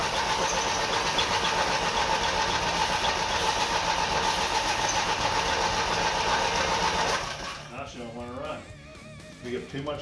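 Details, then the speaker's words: Twin-cylinder Briggs & Stratton engine on a mini bike, first start after priming with fuel: steady cranking about four beats a second for seven seconds, briefly seems to catch, then dies away; cranks but won't stay running, cause unconfirmed. "Ooh, something happened. Sounds like it already started. It started a little bit."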